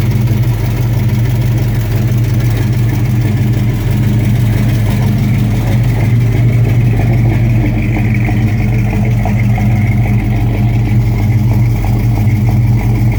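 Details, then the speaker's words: V8 S10 truck with 355 small block, under way: deep rumble with an irregular knock changing with revs; caused by a cheap flex plate rather than engine damage. "It's going to sound like it's knocking, but it's just that stupid flex plate. I bought a cheap flex plate. Now I'm paying for it."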